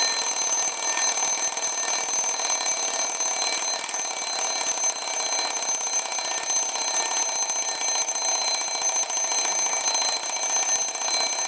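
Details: Repaired antique Sessions-movement clock alarm: fast, even, high-pitched bell rattle ringing steadily; alarm striker and bell working properly.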